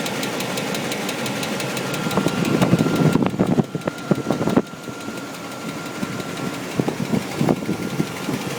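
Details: 1998 Chevrolet Tahoe 5.7 V8 idling with a sharp repeating knock about three a second over a faint steady whine; low oil pressure and knock appeared after the bad intake gasket was replaced.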